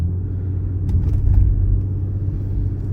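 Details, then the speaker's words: Infiniti (G37-type) engine after valve adjustment, heard under way: deep, even rumble with no ticking or misses, steady road noise; engine runs smoothly and quietly, normal running. "Клапанци відрегулювали. Бачите, як не шелахнеться. Все бомба. Чуєте, як мотор шепче? [музика] Короче, тачка огонь. Їде класно. Двигун працює рівненько."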